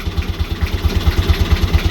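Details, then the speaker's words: Boat BMC 1.8 marine diesel, just started after owner's first service with glow plugs preheated about five seconds: steady, even low thumping at about nine beats a second with no knocks or misses; smooth, healthy idle. "oh i love it i love the sound of it and you know give it a few revs"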